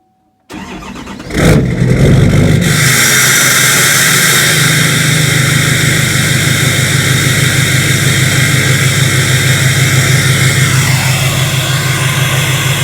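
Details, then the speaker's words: Truck semi-cold start after sitting a few hours since a morning start: quick catch, brief flare, then steady, deep, even idle with no ticks or knocks. Normal cold start and idle. "But first thing first, before we jump Fury Max and get going, semi cold start, because this truck was started this morning, but it's been sitting here for a few hours now."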